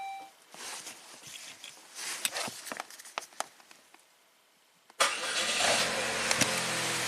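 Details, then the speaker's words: 2004 Saab 9-3, 175,000 miles, after steering lock bypass and "ECU not programmed" message: faint clicks then engine fires right up into a steady even idle; starts and runs, codes to be scanned. "fired right up he's not happy with something there guess we'll get the tech 2 out scan it for codes I mean starts and [Applause] runs interesting"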